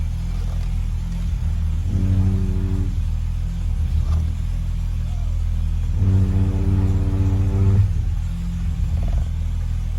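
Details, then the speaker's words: BMW E30 at idle: steady deep drone with a hum that swells twice as the steering wheel is turned, felt as vibration through the car. The noise disappeared with the belt removed, so the owner suspects the power steering pump. Humming when steering under load. "so just a heads up that's what i think is causing that horrible humming grinding whatever sounds not really a grinding sound but it's a horrible vibration that you can feel through the car when you're turning the wheel"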